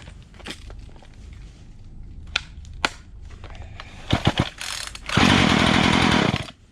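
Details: Poulan Pro 4218 42cc chainsaw left outdoors about a year, started on the ground with the switch on and no choke, spark confirmed: a few scattered knocks, then a loud raspy roar for about a second before dying; it fires only on the priming fuel.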